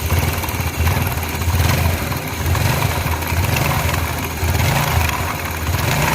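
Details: Yamaha Mio Sporty scooter idling with a rough, chattery "tek tek" rattle under the low engine drone from the CVT belt-drive side; worn clutch lining or rollers suspected, non-original clutch found.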